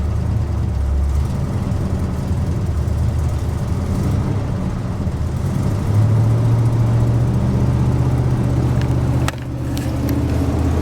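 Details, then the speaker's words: Truck at a cold start around 50°F, squeaky belt: deep idle with an uneven lope and beats dropping out; tired engine missing at idle, smokes a little, burns oil, oil pressure fair. "got pretty good oil pressure pretty good not real great but she's missing a little bit his smokes a little bit burns oil she's tired"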